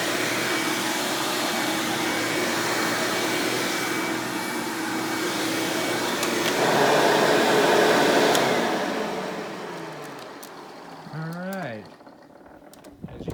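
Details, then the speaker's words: 1997 Hoover Dirt Finder Power Drive U6331-930 self-propelled upright vacuum: even, steady motor roar without rattles or surging, then clean falling-pitch wind-down at switch-off; exceptionally smooth and surprisingly quiet, normal running. "this thing runs exceptionally smooth surprisingly it's pretty quiet for what it is"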